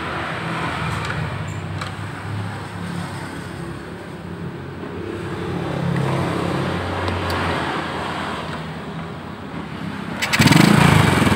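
Small single-cylinder putters at an even beat of about four per second, with traffic passing nearby; the engine is running normally.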